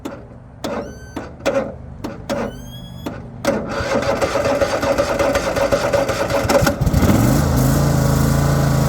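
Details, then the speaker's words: Troy-Bilt Mustang XP zero-turn mower: five or six short starter bursts with pauses before the engine catches and runs steady, a hard start; tag mentioned pulley off, starter going bad, weak battery, but suspected cause is a bad battery cable connection, not confirmed. "did have a little bit of problem starting when I don't think it's any of the above honestly. If anything, maybe a bad cable connection."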